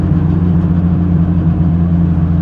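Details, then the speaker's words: Renault R5 Turbo 2 after full rebuild and injection/ignition tuning, cruising at steady speed in 5th gear: steady low drone with firm, unpleasant exhaust note, no knocks or whine; engine pulls smoothly, normal cruise. "elle roule super on va se mettre là je suis 5è l'échappement est pas agréable"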